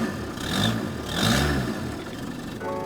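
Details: VW Caddy converted from 1.6 TDI manual to 2.0 CR140 common-rail diesel with DSG gearbox, first runs after swap: engine fires, revs in a couple of short rising blips, then settles into a steady run. Normal running; EGR light on, remapped.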